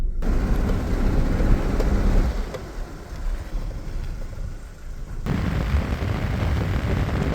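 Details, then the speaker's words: BMW E30 on a test drive after fixing squeaky brakes with copper and silicone grease, first braking: low road rumble and wind buffeting while slowing, with no squeal or whistle; the brakes are now quiet. "First braking. I mean, let's not celebrate too early, but that's a really good sign."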